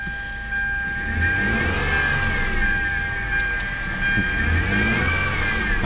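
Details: 2007 Hyundai Sonata V6: constant clear whine over the engine that rises in pitch with acceleration, unchanged with air conditioning on or off; caused by the idler pulley.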